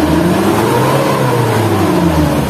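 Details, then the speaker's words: Hot 2009 Suzuki Carry Futura 1.5 pickup, engine judged sound: clean smooth rise and fall in revs with even exhaust note, no miss, knock or rattle; owner says still smooth, good ignition and carburation; normal revving. "Nah, kita harus daftar suaranya masih halus. Saya coba biar suaranya masih halus ya. Masih halus."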